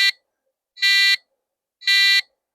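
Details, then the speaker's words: 1993 retro PC motherboard first power-up: three short buzzy PC-speaker beeps, a POST error code. "That's three beeps. So, that means the motherboard is probably alive and it doesn't like something."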